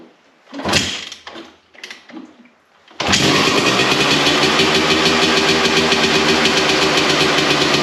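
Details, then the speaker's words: 1993 Honda CR250 two-stroke on a cold start, after crank seal replacement and muffler repack: catches after a couple of kicks and settles into a crisp, even idle with no knocking, much quieter than before. "There we go. That sounds crisp. A lot quieter than what it was there before."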